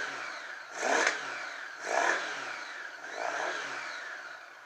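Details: 1980 Honda Goldwing four-cylinder, sat for years, first start after carb rebuild, on choke, mic on owner's head: three quick throttle blips about a second apart, each rising and falling cleanly with no misses or knocks; revs freely and healthily.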